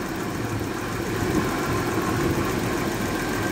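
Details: Stethoscope held on the engine's water pump: an even, smooth hum with no grinding, knocking or bearing rumble. The water pump sounds healthy; the owner suspects a slight rumble comes from the viscous fan driven off the pump.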